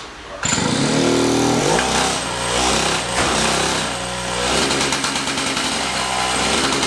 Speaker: That's full throttle right there. You hear that popping noise? You hear the popping noise on it.